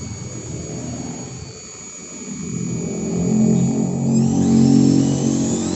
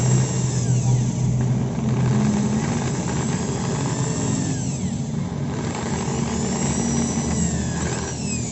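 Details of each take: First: Maktec 10 mm electric drill at lowest speed after repair: smooth, steady motor whine rising in pitch, no growl; earlier growling and overheating fixed by adding body shim and tightening four middle screws. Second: Maktec 10mm drill (MT60-series) at lowest speed gives a rough, snoring growl that is absent at high speed; armature rubs a loose stator, making the body overheat; pressing the body's middle smooths the sound.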